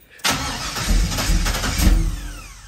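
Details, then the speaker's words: Chevrolet Nova with LS 5.3 swap and Holley, electronic throttle, not started in a while, cold start during snow blizzard, low fuel: starter cranks with uneven churning rhythm but never catches; crank, no start. "it ain't much gas in it but go ahead keep holding it see if it'll fire them hit the gas"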